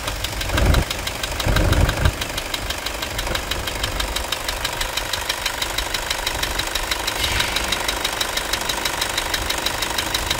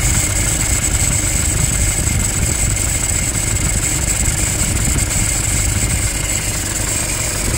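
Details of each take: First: Toyota Hilux 2.5 diesel idling after fixing a scraping accessory belt noise first blamed on the alternator: usual engine knock remains, but no belt squeal or scraping; belt drive now fine. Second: Toyota Hilux 2.5 diesel at idle: constant raspy scraping with a thin high squeal over the engine, plus a bearing-like noise underneath; alternator freewheel pulley has failed.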